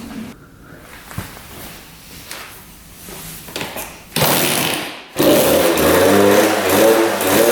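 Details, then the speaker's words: 1999 Suzuki RM80 two-stroke after cutting a taped wire and repositioning the coil boot: catches with a blat, dies within a second, then restarts to an uneven hunting run. It keeps stalling. "she just died get my gas sink back on"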